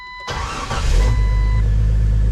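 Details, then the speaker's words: 1998 Jeep Wrangler after engine install and timing corrected, crank sensor issue resolved: catches at once, smooth steady idle about 1,000 rpm, oil pressure and volts good, no misses or knocks; normal idle. "Purrs like a kitten. It's got oil pressure."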